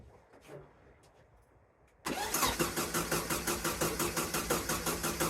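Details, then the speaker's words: VW sandrail dune buggy sat 18 months, first start attempt with the carburettor needing to fill: after a quiet start, a steady, even crank near three turns a second that never catches. No fuel pumping through the line; crank no start. "Turning over really well. Just check the fuel line, there's no fuel pumping"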